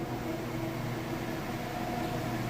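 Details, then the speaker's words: Whirlpool top-load washer in final spin at top speed with a heavy load, lid lifted to test lid switch: steady whirring hum with faint tone shift as the drum slows, then gets back up to speed; normal spin braking. "Pretty heavy load, puts the brakes on."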